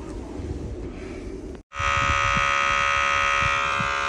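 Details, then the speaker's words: Heavy truck on 24-volt supply with external air feed connected: a steady, harsh abnormal electrical buzz switches on abruptly and holds constant, reportedly coming from a unit on the DS3 side; source still undiagnosed before fault codes are cleared. "que vous entendez le bruit bizarre que vous avez DS3 du côté bien ça vient de là le groupe"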